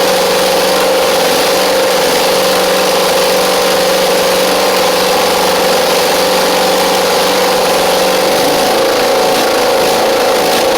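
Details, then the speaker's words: Husqvarna Z4822 zero-turn mower twin engine idling on its own without choke but slightly uneven; right-side cylinder doesn't seem to be firing, suspected carburettor issue needing jet cleaning. "Does not feel like the right side is firing though, so we may have a little bit of a carb issue on the right side."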